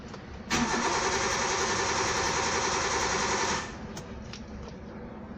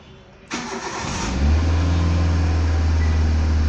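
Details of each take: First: Car engine cranks at an even, fast rhythm for about three seconds but never fires; crank-no-start, with blown fuses such as the 20 A ECM fuse to be checked first. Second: Car that cranked but would not start, after replacing a fuse: quiet cranking catches within a second, settles into steady even idle with no stumble; normal start.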